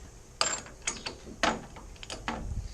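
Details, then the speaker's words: Front differential with the stub axle out and the viscous coupling side off, axle turned by hand under very hard force: uneven ratcheting clicks and clunks with rough, notchy drag, a failed diff centre that is binding and basically locked. "I'm pushing that extremely hard, and you can hear that is notchy."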